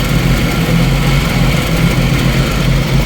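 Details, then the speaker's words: 1990 Jeep YJ 4.2L 5-speed carbureted, warm; no vacuum leaks found: heavy low idle with uneven stumbling pulses that never settle; rough idle, cause unknown, owner may check spark plugs. "so I don't know she's just acting stupid I'm hoping that maybe once we get some of this carb cleaner [ __ ] through it that it'll help settle everything down"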